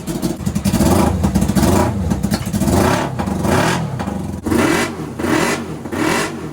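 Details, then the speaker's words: NasKart after misfire diagnosis and fix, started on key with fuel pump on: small multi-cylinder engine revs up and down several times, climbing smoothly with no popping or misfire; runs clean and much smoother. "So guys, this thing definitely feels so much smoother."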